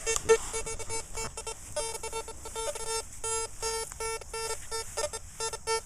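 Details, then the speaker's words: CF77 metal detector with 9-inch coil, mode one, ground setting at 3 and sensitivity 9 for a deep 10-inch dime test: short mid-pitched beeps chattering irregularly; deliberate threshold chatter from running hot. "drop it right down to three I'm going to make that my threshold sound nine sensitivity let's see if it still performs consistent enough to detect"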